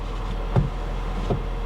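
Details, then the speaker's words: 2004 BMW 325Ci window switch pressed: two sharp single clicks about three quarters of a second apart, with no motor hum after them. The relay is heard working but the window does not move; a dead window motor on this side is suspected. "Yeah. So a window motor. Or maybe it's a... yeah, I can hear the relay. Yeah, window motor is dead on this side."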